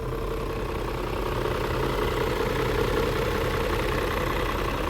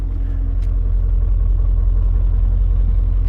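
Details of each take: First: 2000 BMW E39 M5 at idle after startup, no check engine light: low uneven chugging, pulses a bit under three a second, with light rattle; owner attributes rattle to typical VANOS startup rattle, rough idle cause unclear. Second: Newly acquired BMW E39 M5 with completely stock exhaust, bought in rough condition: smooth, deep, fairly quiet burble at steady idle, no ticks or blowing; exhaust very quiet, normal idle.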